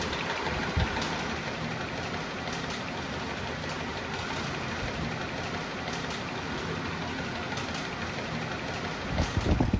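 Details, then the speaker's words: Panda 3.5 portable dryer running with its old, stretched, worn blower/drum belt: steady roar with irregular thumping and slapping as the loose belt bangs all over the drum, before replacement with a new belt. "It is just banging all over the drum making a lot of noise."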